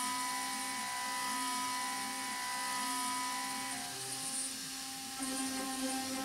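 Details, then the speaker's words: Avid CNC Benchtop Pro desktop gantry router with CNCDepot S30C 2.2kW spindle at 15,000 rpm, Fogbuster coolant, milling A36 mild steel at 100 ipm; steady spindle whine and even cutting hiss, no chatter, straw-coloured chips; normal cut. "I have to say I think that sounds pretty good It's cruising along a nice rate it doesn't sound chattery, the spindle sounds good, it's making nice chips."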